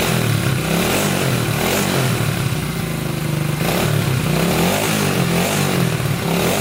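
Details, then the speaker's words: 1987 Honda 250X after new valves, new coil and rebuilt top end, restarting after adding fuel: strong, clean engine note rising and falling smoothly with throttle, no misfires, knocks or leaks; running healthy. "oh yeah i'd say that's a success engine's not leaking anything sounds really really good"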